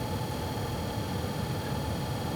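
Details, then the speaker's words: 2016 Subaru WRX STI cabin, heater/AC blower on its lowest speed: thin, steady high-pitched whine over low cabin rumble from the blower motor, bothersome only at low fan speeds. "driving me crazy what that noise is is the blower motor for the AC heating system um it's driving me crazy at low speeds"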